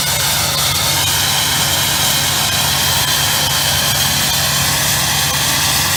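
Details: 1999 Ford F-350 7.3 Powerstroke diesel with new MBRP 5" turbo-back exhaust, after a cold start at about 25°F: steady diesel clatter at high idle with a loud, even high-pitched turbo scream. Normal turbo whistle.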